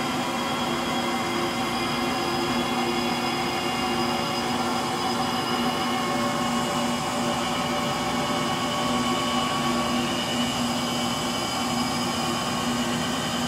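Steady whirring drone with a rough, constant hum and faint whine as the drum spins slower; the motor bearings are worn.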